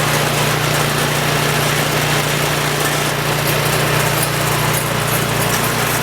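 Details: Troy-Bilt Storm 2840 28" snowblower (model 31AH64Q4711) with a Chinese-built 277cc OHV engine (about 8 hp); first pull-start of the season at full throttle. Steady, even beat at fast idle with no misfires or rattles; normal running.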